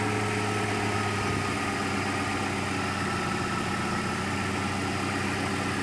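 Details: 1993 Ford Mustang Foxbody 2.3L four-cylinder at idle: hum shifts after about a second, then an uneven, shaky low pulse; rough idle, cause not known.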